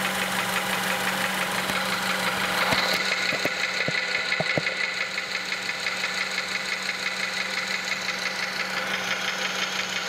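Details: 2006 Honda Element 2.4L at idle, heard through an electronic stethoscope: regular knocking taps, about three per second, loudest in the block; internal bottom-end knock of unknown cause, oil pan gasket recently changed.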